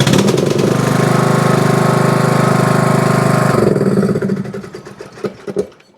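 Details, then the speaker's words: Riding mower or zero-turn, cold, hard to start with choke lever up. Engine labours with an uneven, chugging beat after a hard start, then cuts off; choke cable out of adjustment so the choke plate does not close. "You get kind of those hard starts or those burps out of them. Every now and again it'll start, but it's really hard to start when it's cold."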